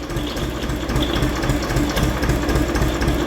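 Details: Diesel engine idling: a steady dry rattle of about four a second plus a faint hum from the dynamo. Its bearings are broken and the pulley has play, and it is not charging.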